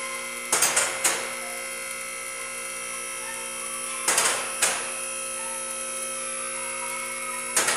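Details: Shop lift raising a 1994 Chevy Silverado 1500 2WD 5.7L (4L60E): steady electric motor hum with three clusters of metallic clacks as the safety locks drop in; the lift is rising normally.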